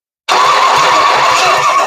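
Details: Starter for the long-sat Ford 460, bench-tested bolted to a cut-off C6 bell housing piece, push button wired: steady high spinning whir with a faint rhythmic thump, even and strong; starter healthy.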